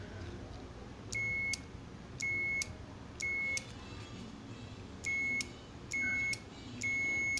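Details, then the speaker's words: Microwave oven relay powered from a 9 V supply, multimeter on output contacts: six clean high continuity beeps about a second apart with relay click; relay contacts closing normally. "cuando yo pegue sus terminales acá se va a cerrar el circuito y tiene que escucharse la alarma incluso no sé si todavía alcanzan a escuchar o bueno si se escucha lo que es el clic del relevador cuando entra"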